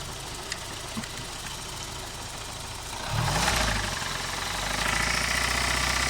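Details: 1992 BMW 318i E36 with M40B18 engine after a drive: quiet idle, then revs rise with a steady, fairly regular knock around four per second. Owner suspects a spun bearing; not confirmed.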